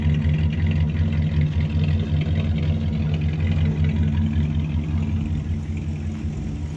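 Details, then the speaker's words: 1978 Dodge D150 Custom truck's old V8 idling on its new ignition control box with a working fuel pump: a steady, even rumble with no stumbling or ticking; it runs pretty smooth and may need a little tweaking. "Thing actually runs pretty good. Pretty smooth. Probably good to use a little bit of tweaking, but so far so good."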